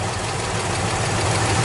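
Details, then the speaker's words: 1986 Chevy K10 V8 with new 601 heads, fresh 5W-30 synthetic oil, temperature good: busy idle with light clacking on top after a half-turn rocker adjustment; loose rockers possible, not confirmed. "Here, a little bit of clacking. I just changed the oil. 530 synthetic."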